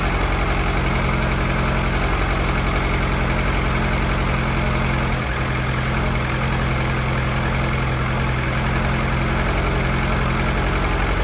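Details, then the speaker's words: Newly rebuilt F24 engine on first start after priming oil pressure, no leaks, not yet warmed or broken in: even, steady idle with smooth low rumble, no ticks or knocks, not hunting; normal healthy idle. "motor sounds good and healthy"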